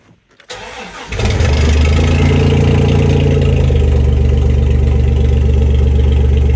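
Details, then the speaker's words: 1992 Dodge D150 pickup, started after sitting a week with a possibly weak battery, not primed: short crank, then catches within a second and settles to a strong even idle; starts fine. "but but as you can see it starts right up probably should have primed it a couple of times before I started it"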